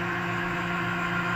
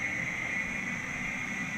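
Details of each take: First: 1982 Matsuura CNC mill with Centroid control retrofit, Z axis jogged down continuously at rapid speed, 100%: steady, loud droning hum with a fixed low tone; axis noisy, cause unclear. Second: 1982 Matsuura CNC mill with Centroid control retrofit, the three cooling fans in the top of the new electrical sub panel: steady even airy rush with a constant mid-high tone, no rattles or surging; fans pretty noisy but normal.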